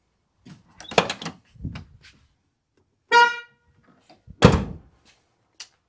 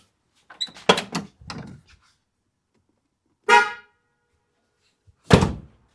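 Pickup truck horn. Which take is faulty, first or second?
first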